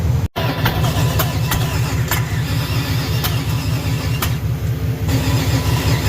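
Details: Junkyard small-block Chevy 350 on an engine stand after years in storage, open headers, warm: loud, lumpy V8 rumble holding a steady fast idle with no knocks or ticks; runs fine.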